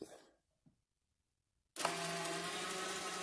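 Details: 2014 Audi Q5 rear caliper electronic parking brake motor, powered from a jump box via alligator clips during a pad change: silence, then a steady even electric whir as the piston drives out normally.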